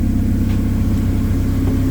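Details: K24-swapped 1987 AE86 idling after flipped MAP sensor wires were corrected and fuel pressure lowered; steady, even low rumble with no stumble or hunting. Normal idle.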